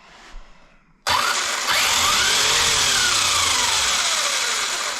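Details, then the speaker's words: Kyosho MP9 Evo 1/8 electric buggy after replacing worn center diff out-drive cups that caused rear drivetrain bind and overheating: motor whine rises and falls smoothly with throttle, no grinding, clicking or binding; normal running. "nothing seems to be binding at all, man. So it sounds normal. Well, I don't hear that sound."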